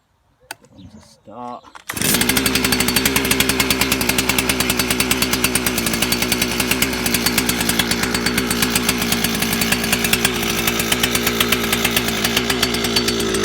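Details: Stihl FS400 brush cutter two-stroke, repaired with a Chinese carb, already warm so no choke; settles into a steady, even buzz with a clean tick-over and no misfires; normal running.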